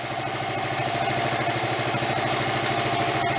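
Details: 1974 Honda Z50 monkey bike, restored but never run before purchase, now idling after carb and fuel work while warming up: steady, even idle with a smooth fast patter and no misses or surging; normal idle.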